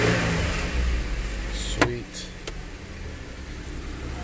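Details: 2008 Jeep Wrangler Sahara just after a new ignition coil pack install, jump-started because the battery was dead: the engine catches and settles into a steady, even, low, smooth idle with no misfire stumble, running normally.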